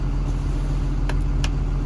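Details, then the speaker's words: KBR 925 machine in first gear with controls bypassed: diesel drones low and steady as it loads up trying to move, but the machine never propels; only second and fourth gears worked; traced to an open ground wire in the propel control circuit. "this is first gear I can reach down here and we get a load up you can hear it it's trying to move the machine"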